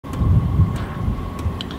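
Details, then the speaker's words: Chinese diesel heater's supplied dosing pump in a motorhome, at its lowest rate of 1.6 Hz. Light, sharp clock-like ticks about one and a half per second over low wind rumble; the pump ticks constantly. "can you hear that noise well it's coming from the little dosage pump that was supplied with my Chinese diesel heater and at its lowest tick over rate of 1.6 Hertz it sounds like a clock ticking all the time"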